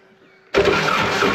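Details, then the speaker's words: Woodmizer LT70 sawmill diesel, sat for years, cranked with lift pump feed line off to check fuel flow: silence then rough churning as starter spins it, never catches; little fuel coming out, fuel supply problem suspected. "I want to try to crank it and see if it got fuel coming out you ready yep little bit little bit not impressive not yet"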